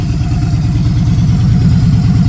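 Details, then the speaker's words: Victory Judge V-twin with a 2-into-1 exhaust at idle: a deep, lumpy, uneven thump that pulses steadily and shakes hard like a Harley; the owner suspects an unknown modification but the cause is unclear. "Now, I know something's been done to it because it shakes like a Harley."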